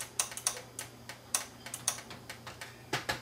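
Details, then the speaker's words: Kenwood VR606 AV receiver, dead on the bench: sharp, irregular power and speaker relay clicks over faint hum when the front microcontroller board is moved, pointing to a fault on that board; standby light comes on. "definitely now I hear the relay clicking oh now I got my standby light my standby light's working now it's on I can hear the power relay click I hear the speaker relay click"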